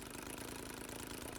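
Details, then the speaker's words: New NGH GT25 25cc two-stroke gas engine on a 1:4 scale Citabria, idling on factory mixture settings after two 15-minute break-in runs and a resealed muffler leak: a quick, even putter with steady firing, no misses or rattles. Normal, clean idle. "at this point i've not touched any of the mixture screws and this is just idling on factory settings"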